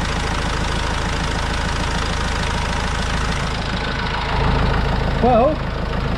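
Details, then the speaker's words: Vauxhall Vivaro diesel van, first start after an overdue service with new oil and filters: steady diesel clatter at even idle speed, no misses or knocks, brief chirp near the end, no leaks; normal idle. "you can hear me okay but i can't see any leaks from anywhere sounds nice enough for a dirty old diesel yeah sounds good"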